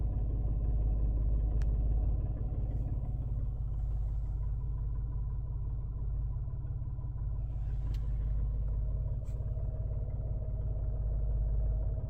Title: 2021 Mirage rough idle?